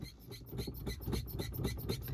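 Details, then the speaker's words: Car gear lever creaking and squeaking about four times a second when worked back and forth, before treatment with WD-40; cause not confirmed. "सुनी भाई ऐसी आवाज कर रहा है आज मैं आपको इसका परमानेंट सलूशन देने वाला हूं"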